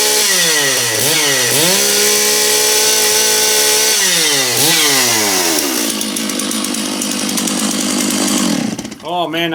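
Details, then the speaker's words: Stihl MS660 big chainsaw, not run for a while, snaps up crisply through several revs and holds a loud, even, clean scream; strong and healthy. "okay the big ms660 nice saw I like this one it's really loud this is a saw you don't mess around with that's for sure"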